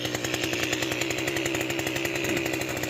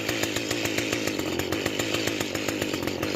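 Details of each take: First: Mantis tiller two-stroke after carburetor and fuel line cleaning, first run in years: fast, raspy buzz with a steady crackle and the tines turning; idle set too high, fixed by backing off the idle screw. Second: Mantis two-stroke tiller after carburetor and fuel line cleaning, idle screw backed off: quick, even popping at a settled idle with no surging or misfire.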